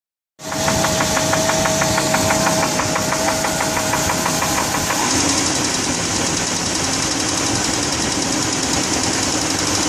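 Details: 1999 GMC Yukon V8 idling with a steady, sharp knock, about three beats a second; owner fears the engine is shot, cause unclear.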